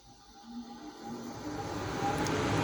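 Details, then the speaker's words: Payne furnace that clicked with orange LED but no heat, after cleaning, re-crimping a loose connection and bypassing a popped fuse for testing: soft hum swells smoothly as the induction motor spins up; normal start-up. "That's the sound of That's a good sound. Oh, that's a good sound."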